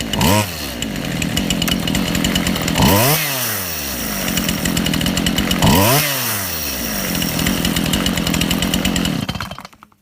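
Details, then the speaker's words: Chainsaw low-speed (idle) mixture screw being turned: revs surge and sag, burbling too rich, then screaming too lean, then settling to an even idle once set in the middle. "I hope you saw how that went from as I was turning it it went I I went initially uh too rich and then I went right back to to lean and then I came back from to lean to running nicely"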